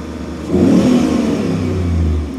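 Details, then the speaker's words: 2002 V8 truck with one-bank misfire and opposite-bank rich trims, front O2 sensors suspected: engine rises smoothly into a firm, even rev and settles back with no stumble or miss; sensors now respond, hopefully the fix. "sounds better too I don't know why but I could see these responding now before they had kind of no response you know no up and down on a scale like this so I'm thinking that this is hopefully the fix"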